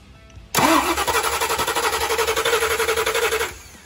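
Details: 1990 Ford Mustang GT 5.0L V8 (built 306ci) just converted from EFI to a Holley Street Avenger 4-barrel carb with HEI distributor, first start attempt: starter grinds in a fast, uneven rhythm about three seconds without catching; fuel or timing not sorted.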